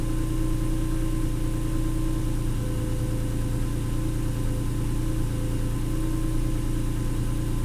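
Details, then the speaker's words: 290,000-mile Acura NSX after a 1,200-mile drive and track day at Nelson Ledges: warm idle with a steady thin whine over even hum, growing as it warms; isolated to the alternator, dry bearing suspected; belt to be loosened to test. "so having distinctly isolated the sound down to the alternator"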